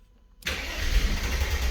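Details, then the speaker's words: Mercedes W124 E320 convertible, M104 six-cylinder, non-runner: after a part replacement, cranks and coughs as if trying to catch, a low rough rumble that never settles to idle; wants to start but won't. "okay i don't know if you guys heard it it wants to start it gave it a little try but it's not quite there yet"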